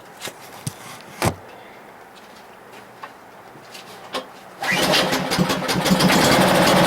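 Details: Husky 1850W generator (about 5 hp) with Mikuni T3044 carburetor, converted to natural gas after cleanings failed, restarted with a hair dryer plugged in: a few clicks and taps, then catches and settles into a steady even drone; runs healthy.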